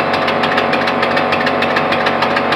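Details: Small steam/air piston engine test-run on compressed air at about 30-35 psi, with a known air leak at the intake gaskets: rapid, evenly spaced puffs with a sharp metallic clatter and a steady beat. Running normally.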